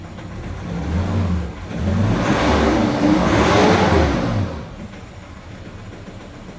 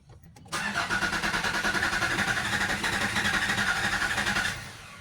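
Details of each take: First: 2019 Nissan Terra automatic diesel after scanning and injector coding, with flooded wiring, fuse and relay checked and a dirty filter found; engine revs up and down smoothly and settles to an even idle, the earlier shaking and misfire gone. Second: 2019 Nissan Terra diesel, automatic, cranks steadily at about four pulses a second for four seconds on a boosted battery but never fires; fuses, relays and wiring checked OK, later traced to injector problems.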